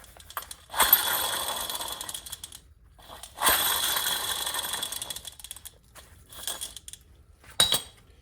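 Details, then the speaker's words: 2012 Nissan Altima 2.5: removed front hub bearing spun by hand gives gritty, rasping grinding bursts. The bearing is loose and wobbly and all the rolling elements inside are shot; it is being replaced. "Wow, this sounds really bad. Hear that? All the bearings inside are shot."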